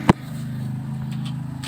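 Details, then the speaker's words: Samsung twin-tub washing machine spin-dryer tub: after a switch click, a steady low electrical hum with no spin-up; motor is energised, tries to turn but stalls. Suspected faulty motor or capacitor, not confirmed. "ได้ยินเสียงมอเตอร์ไหมมอเตอร์ดังนะครับแต่มอเตอร์พยายามจะหมุนนะแต่ไม่หมุนนะครับ"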